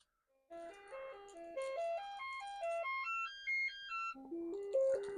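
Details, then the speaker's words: Commodore 64 being tested with a diagnostic cartridge after swapping out a 6581 SID chip: clean stepped tones climbing and falling in a tidy melody, with no buzz, dropouts or distortion; normal SID chip sound output. "Okay. And that chip, but that sounded okay."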